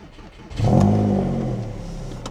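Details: Audi A6 on a cold start after sitting neglected for 6 months: catches and flares, then settles into a deep, boomy burble; the exhaust note sounds off, and the cause is unclear.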